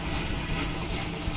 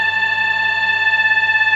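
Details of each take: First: Microwave oven after repair of its noisy fan motor: even, steady fan and transformer hum with no rattle, scrape or buzz; running smoothly and heating properly. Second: Microwave oven: loud, steady, high-pitched buzzing hum that starts to pulse slightly, caused by a worn turntable (swing) motor.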